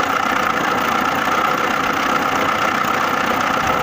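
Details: Lada Niva engine, warm, after owner-done valve clearance adjustment for valve knock; smooth, steady idle with even hiss and no sharp ticking. The chain tensioner is already worn.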